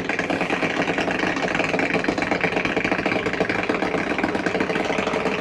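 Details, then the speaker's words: 2022 Catalina 333RETS travel trailer slide moving: steady motor hum with light rubbing scrape from rubber wipers; no grinding or binding, normal operation. "It's just a safety mechanism on the slide. You hear it taking it in and out. The whole point is it's not the sound of anything grinding."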